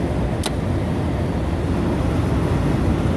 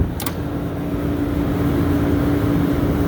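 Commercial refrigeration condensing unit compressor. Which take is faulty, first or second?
second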